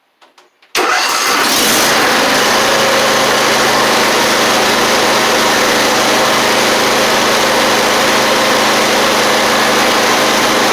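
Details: Mower not run in a while, started with 480CCA lithium battery: brief crank, catches at once and settles into steady even idle, no misses or knocks; healthy start.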